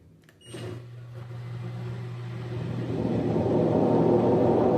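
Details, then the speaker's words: LG washer-dryer spinning at 600 RPM: low motor hum gives way to a loud, rough roar building as drum spins up; drum bearings blown, worn drum bearing roar. "lava e seca está fazendo barulho na centrifugação, está roncando muito alto. Será que o problema está nos rolamentos? Essa máquina aqui está com os rolamentos estourados."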